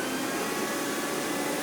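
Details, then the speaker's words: Rainbow E2 Blue (Platinum/Silver) two-speed canister vacuum, believed late 2000s, switched to high speed: smooth, even high-pitched jet-like motor roar with no pulsing or rattle; motor running healthy on high, though owner notes it runs on after switch-off and may need a rebuild. "Nice startup sound. It kind of sounds like a jet engine starting up."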